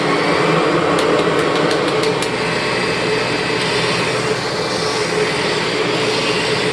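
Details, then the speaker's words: 1996 Kirby G4 vacuum running before refurbishment, with worn motor bearings and excessive wind-down: a steady roaring motor with a coarse grinding rasp and a few sharp ticks from the transmission; owner may need to swap the transmission. "so the transmission grind so bottom line is I may need to actually swap this transmission out"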